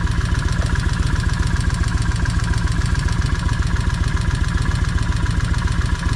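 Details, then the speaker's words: Vulcan 1600 V-twin after battery replacement and brake caliper freeing, charging 14.7 V, held near idle for break-in: even steady idle, regular low thump about four beats a second, no tapping; much better, noise returns slightly when revved. "But getting back to this, it's sounding a lot better now. I mean, a lot better."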